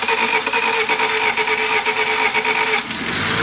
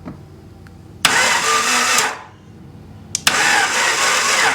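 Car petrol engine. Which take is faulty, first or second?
second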